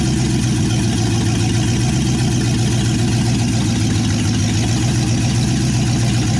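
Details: 1963 Chevy C10 355ci V8 (350 bored .030 over), Turbo 350, second-ever firing after years of sitting; temp gauge dead though water circulates: loud, even idle with a steady deep burble from the open manifolds. Normal idle.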